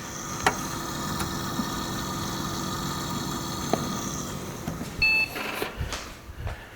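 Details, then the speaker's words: 1999 HP Pavilion 6535 PC, 466MHz Celeron: steady whirring hum with thin high whine and a few clicks; worn, noisy CPU fan needing replacement (suspected). "Yeah, the little noisy fan really is a piece of junk."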